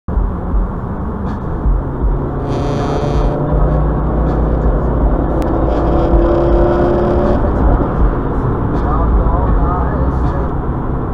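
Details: Rough, uneven engine run with a lumpy low beat and occasional stumbles from misfires on cylinders 2 and 3.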